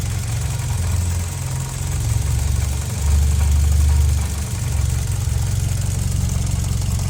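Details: 2009 Lancer Ralliart, 72k, SST dual-clutch transmission, at idle: deep, uneven idle with light rattle about four times a second; normal engine belt and SST transmission noise, present since new.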